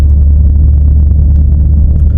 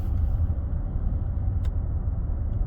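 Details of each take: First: 2018 F-150 4WD 5.0 Coyote: loud, steady low roar while driving, like a bad wheel bearing, from a failing integrated wheel end (IWE); wheel bearings were earlier replaced wrongly for the same noise; left CV axle inner boot also busted. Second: 2018 Ford F-150 4WD driving in four-high after replacing the front integrated wheel end (IWE): low even road rumble, no wheel bearing drone and no more clunking in 4WD; normal driving, no wheel bearing noise.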